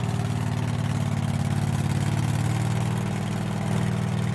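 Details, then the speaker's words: Craftsman mower sat a couple of years, running after fuel filter replacement: low, throbbing single-cylinder idle that sags and picks up over a few seconds, surging; owner suspects the carburetor, thinks fuel supply is adequate. "okay but it's kind of surging up and down great I I think it's something in the carburetor from sick for years"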